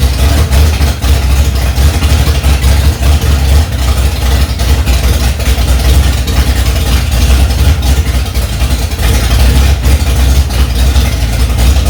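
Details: 1965 Ford Mustang, freshly rebuilt 289 small-block V8 on its first start, cold, carburetor mixture screws set two turns out: deep, dense rumble held at a steady fast idle with no knocks, misses or stumbles; runs fine.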